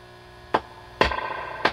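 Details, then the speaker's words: Dr Z Maz 38 Senior guitar amp with reverb feeding back and squealing at higher levels: each tap brings a sharp crack then a lingering scratchy crackle; a microphonic 56k resistor in the reverb circuit, to be replaced. "that noise that's making so this resistor to me looks like it has gone out anything touching this is very sensitive"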